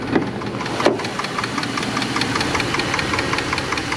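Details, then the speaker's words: Dodge 4.7L V8, about 200,600 miles, after third repair attempt with new lifter: quick steady light ticking at warm idle after 15-mile drive, stethoscope places it at valve cover; suspected lifter/valve train tick, not confirmed. "All right, folks. So, it's clicking. You can hear it. And I use the stethoscope. It's It's coming uh from the valve cover and uh man, I thought I had it."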